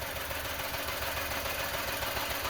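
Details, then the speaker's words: Engine idling with a misfire and a fuel smell; an uneven, stumbling beat under a steady rumble as one cylinder drops out. A thermal imager shows a hot spot on cylinder one, so the number one coil pack is suspected failed. "we have a hot spot on number one so I'm going to say number one foil pack is gone"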